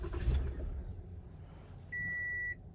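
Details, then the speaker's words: 2015 Toyota Camry no-start, push button start, fuel pump and ignition coils already replaced: low engine rumble catches briefly then fades and dies, followed by a steady chime; starts then stalls, cause under diagnosis. "This is a push button start. See if it does it. It starts for a little bit and then shuts off."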